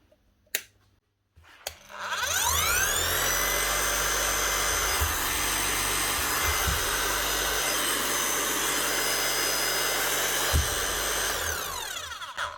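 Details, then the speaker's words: Bosch GSH 5 CE hammer under a year old, after warranty repair of catastrophic gearbox failure with new motor, crank, piston and brushes; spins up to a steady high whine, runs evenly with no knocks or rattles, winds down smoothly; normal motor run. "Sounds like she should sound like a new machine, because she is technically still a new machine."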